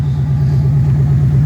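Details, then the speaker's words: 1997 Mustang GT V8 idling after replacing a dying stock ~20-year-old pump with a new Quantum 340 lph fuel pump, pressure about 41: deep steady burble with even lope, no pump whine over the exhaust; smooth, healthy idle. "our idols much smoother and you don't even hear the pump my other pump you can hear over the exhaust"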